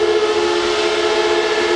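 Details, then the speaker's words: Heaters run at full tilt in a shed, shed warmed to about 20 degrees, fans working to keep chips at constant temperature: loud steady whir with constant mid-pitched hum, no low rumble, very noisy; normal fan noise at full speed. "to keep the chips in there at a constant temperature well it's noisy as hell in here but they are having an effect"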